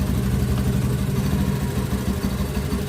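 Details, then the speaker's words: Honda Beat ESP fuel-injected scooter with a new relay fitted, battery lead disconnected while running: quick, even idle patter that keeps running. Normal idle, charging normal. "Nah, sudah terlepas, motor tetap hidup, berarti normal, pengisian pun normal."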